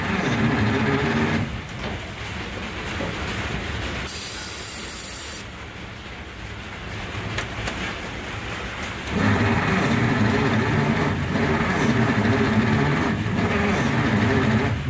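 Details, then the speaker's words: 1947 Kaiser Special, long-dormant, plugs cleaned: starter churns at about three and a half beats a second, a few cylinders catch briefly, then it drops back to cranking; no start, improving after gas was added. "we got a little fire there you hear that yeah yeah yeah"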